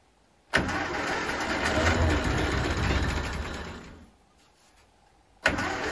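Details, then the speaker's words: Ferguson T20 tractor, a barn find, started after oil priming and after a first attempt that backfired: it catches at once, runs evenly, shuts off, then fires again cleanly. Normal start and idle. "and it was a big success so now I can go on with the rest of the stuff here"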